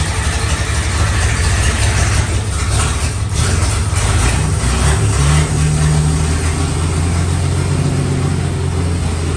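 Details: 1954 Fargo half-ton flathead six freshly rebuilt with new piston rings and valve adjust, on first run with the carb float overflowing: a low, steady rumble with a brief rev, settling back to an even run with no knocks or misses. Normal running after rebuild.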